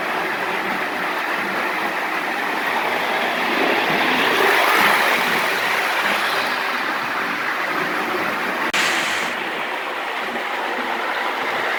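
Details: Lionel gunmetal 1666E locomotive, run alongside an older loco pulling passenger cars: steady even whir with light rail clatter, no catches or stutters; runs smoothly.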